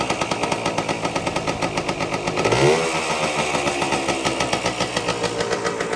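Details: 1973 Yamaha RD250 or 1974 Kawasaki F7-175 vintage two-stroke, restarted on a jump box after refitting a part: crisp, even two-stroke popping at idle with one clean throttle blip; runs steadily and sounds healthy.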